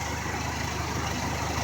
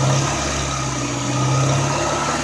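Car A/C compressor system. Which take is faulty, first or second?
second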